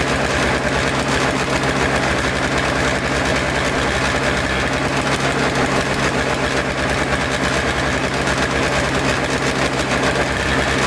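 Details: Toro Snow Commander two-stroke snow thrower after fresh fuel, fuel line reconnected, choked and primed: quick, even popping holding steady with no misses or surging; idling cleanly.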